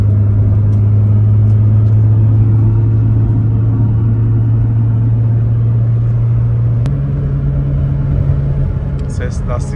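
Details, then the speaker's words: Nissan R34 GT-R (900HP) on the road in Austria, described as quiet with good engine response: a steady low drone that steps up in pitch once, with no knocks or scraping; the tires give an "oo" hum, which is normal. "geliyor Arkadaşlar şimdi lastikler olunca Oo diye uğultu ses geliyor tamam Normal yani"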